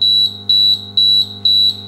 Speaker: the point is that you want the alarm to be loud because you could be out on deck on your boat whenever something goes wrong